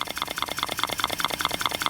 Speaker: and it pumps when I put my finger on you can hear the valve going here it trying to this one here sounds a little off